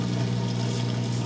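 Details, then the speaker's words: Whirlpool front-loader washer with E03/F08 error codes, after unplugging to reset and plugging back in: drain pump runs with steady low hum and faint watery rush, emptying the drum. Normal drain pump operation. "we're going to plug it back in see if anything is different all right so we have drain going"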